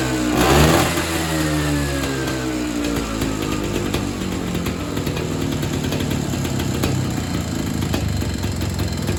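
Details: Evinrude Bobcat 25hp two-stroke snowmobile, sat 20+ years, starts then burbles unevenly, ragged and never settles; owner suspects an air leak or a hardened carburetor diaphragm, can't tune it, needs a carb kit.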